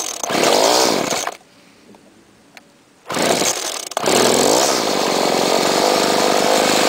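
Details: 2008 Homelite trimmer two-stroke (UT 21546A), started on choke after a couple of weeks unused and low on fuel: catches with a high buzz, cuts out, then holds a steady, even whine; runs fine.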